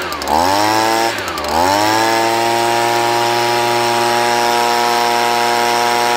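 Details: Stihl BG 55 leaf blower after carburetor cleaning and fresh gas: two-stroke blips twice, then holds a high steady buzz without surging or stumbling, running smooth; owner blames bad gas plus dirty carburetor for earlier rough running.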